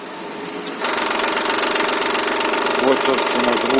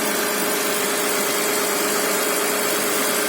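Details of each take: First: Mitsubishi Pajero engine at 354,000 km: fast, fairly even light clatter about four per second over running engine; suspected failing hydraulic timing belt tensioner, timing belt replacement performed. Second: Mitsubishi Pajero at 354,000 idling after timing belt replacement (owner had suspected the tensioner for a knocking/clatter): even, steady mid-pitched tone and hiss, no knocks or misses; smooth, healthy idle.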